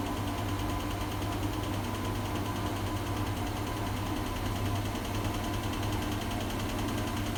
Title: Strange noise